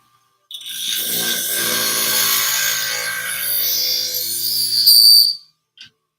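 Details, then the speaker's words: Scissor sharpening scratch test on scissors that cut but not through the tip: an even, high-pitched steel-on-wheel hiss for about five seconds with no chatter. It sounds better but is not quite there, with a little black still on the edge. "there's my scratch test that's hear that sound sounds a little better we're not quite there yet still see a little black on"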